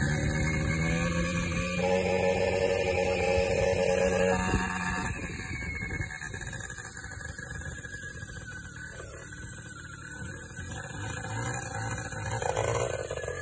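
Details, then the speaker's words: Vento Triton R4 two-stroke motorcycle: runs rough with strained scraping whine and uneven beat, then bogs; piston melted to the cylinder and seized, kickstart barely moves a quarter inch; owner first mistook it for squeaky transmission belt. "This thing is not happy at all. To this. That is the sound of a locked up motor."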